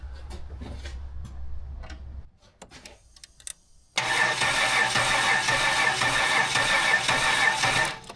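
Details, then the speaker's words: Budget L67 wrecker 3800 V6 swapped into a WH Caprice; it cranks rhythmically but never catches. Spark and fuel are confirmed, so the owner concludes low compression and that the engine is likely kaputt. "It's got spark. And if it's got spark, it's got fuel. What's it missing? Compression. Ba-boom. Engine is kaputa."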